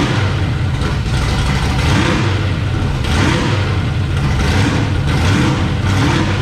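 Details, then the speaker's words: 1966 Chevy Bel Air, 461 big-block Chevy with new headers, first start: loud, open, lumpy idle holding steady with gentle surges, no knocks or misses; sounds good, healthy first fire-up before belts, coolant and alternator are hooked up. "Alright, so y'all just heard it fired up. Sounds good."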